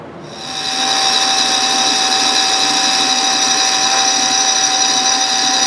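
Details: South Bend toolpost grinder running on a lathe with a freshly dressed wheel, grinding scrap: high steady whine with a faint uneven pulse; the lumpy drive belt shakes the wheel and gives a horrible finish, a link belt later ordered.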